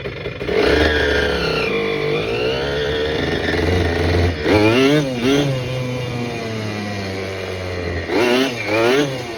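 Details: Restored 1987 Kawasaki KDX80 two-stroke on a test ride with the exhaust baffle removed for more power: crisp buzz rising and falling cleanly through repeated revs, pulling smoothly without misfires; the engine sounds healthy.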